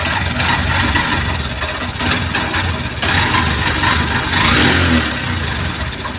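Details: Honda Shine SP 125 BS6 motorcycle started: sputters unevenly at idle with loud engine noise, won't take throttle, revs sag and it stalls on its own; cause not yet found.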